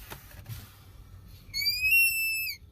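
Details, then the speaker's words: Ford F550 with vacuum-boosted brake assist: pressing the brake pedal hard makes a sharp high whistling squeal (customer likens it to a child screaming under the dash) as vacuum leaks past the brake booster plunger, also hindering brake performance. "we go we start leaking vacuum and it causes that squealing sound and it also hinders brake performance"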